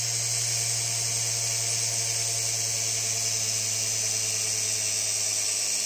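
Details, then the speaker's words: Big scrapyard brushless DC motor driven through a 30 A drone ESC by a servo controller: steady high electric whine with a low hum beneath, smooth and even; running normally. "alright so here's the servo controller going through the SC into the motor"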